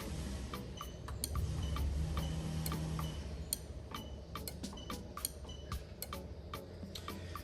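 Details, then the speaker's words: SC430 3UZ-FE VVT-i harness in a 2002-2005 Lexus IS300 automatic, AC clutch active test, camera near the relay, outside noise: sharp dry clicks in irregular bursts as the AC clutch relay switches on command; working. "Okay, I did it a couple of times. Hopefully you guys heard it, but it definitely is working. I could hear it here."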